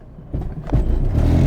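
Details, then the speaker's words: Twenty-year-old Renault Kangoo 1, stationary, engine under load: deep buzzing vibration-like rumble with clattery knocks heard at front right, from a worn right engine mount; clutch, gearbox and wheels ruled out. "on a l'impression que ça vibre en fait ça ne vibre pas ça fait un bruit de vibrations"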